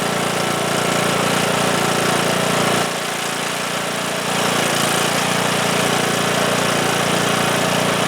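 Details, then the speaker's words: Cub Cadet lawn tractor, single-cylinder Kohler Courage engine, after fixing a fuel blockage on the tank side with new fuel lines, new fuel filter and fresh gas: steady, even putter with one brief dip, then holds past 30 seconds; running normally. "Right congratulations I think that did it"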